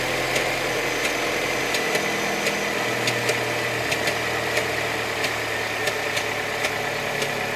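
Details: Opel Astra G 2.2 engine at a steady idle with a sharp, light tick about twice a second that stays regular; an unexplained top-end tick whose cause is suspected, not confirmed.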